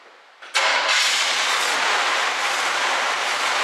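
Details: 1967 Chevrolet Camaro barn find after fuel pump work and lines reconnected: after a short quiet spell engine catches at once, settles into steady even run, no misses or knocks; starts and runs normally, brakes still to fix.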